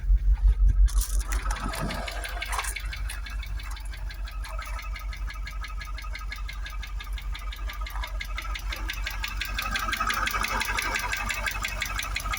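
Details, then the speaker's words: Jaguar XKR supercharged V8 after new coil packs and spark plugs, throttle body cleaner burning off: rough idle with fast regular ticking knock near three per second and supercharger whir; knock persists, cause unknown. "So I need to burn that off. Now the knocking's still there."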